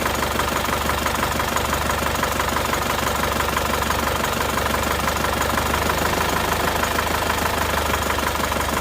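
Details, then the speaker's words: Isuzu Panther diesel, rough and shaking at idle from cold start until hot: the idle beat is uneven and lumpy, and cracking the number one injector line changes nothing, so cylinder one isn't firing. "Nomor 1 ternyata tidak begitu bereaksi. Nomor 1 tidak ada reaksi."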